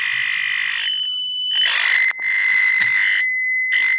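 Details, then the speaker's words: Badly soldered Fort Processor synth kit (blobbed, dry and missing joints, bent IC leg), tested after reflow. Erratic chirping and croaking that cuts in and out, and the light sensor doesn't work. Still faulty, suspected remaining bad joints. "Yes, not right. It doesn't sound right, so... Yeah, something's wrong. So I guess there's turn it off still again. some bad joints or something wrong."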